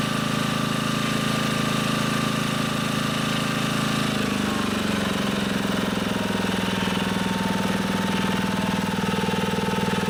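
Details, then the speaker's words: Honda HR215 lawnmower that surged at low and high speed, warm engine, after unclogging the carburetor slow (pilot) jet and resetting the idle screw. Even idle with no hunting, then a clean rise to a steady higher pitch; normal idle and run-up. "looks like I have the Idol set about right so I got lucky there seems like it's idling fine once it warms up I'll rip it up to see how it goes"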